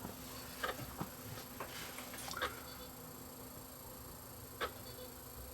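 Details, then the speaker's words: Sony BDP-S350 Blu-ray player that plays no discs, trying a stamped Blu-ray after failing on a DVD: quiet hum with scattered soft ticks and clicks as the drive hunts without settling; it cannot read the disc, drive faulty. "It's trying to do something. I can hear it. Can't read this disc either, so obviously the drive on this one has got a problem."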